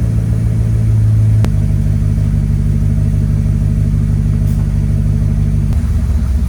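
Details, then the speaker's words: 1995 Mercedes S500 (W140) idling after the dual-to-single fuel pump conversion: deep, even low idle holding steady with no stumbles or misses; running smoothly and beautifully. "well guys she is running beautifully now it's been a crazy day of trying to get her running especially with all this rain"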